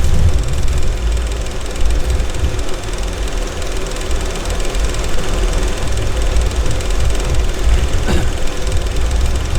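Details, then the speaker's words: IMT 560 tractor diesel after electric fuel pump install turns over sluggishly without catching; battery only about 10 volts, likely shot, plus suspected connectivity issue. "Okay. That didn't sound good because the battery doesn't sound good. So my battery is most likely shot."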